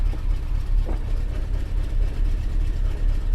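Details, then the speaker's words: 1997 Chevy S10 2.2 four-cylinder right after fuel pressure regulator replacement and start-up: low even idle with no misses, knocks or stumble; fired right up, no fuel smell or leaks. "like it fired right up uh let's see I don't smell anything I don't see [Music] anything it fired it fired right up like that was"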